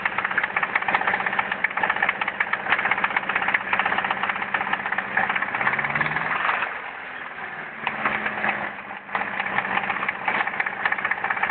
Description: sr20det rod knock after "oil change"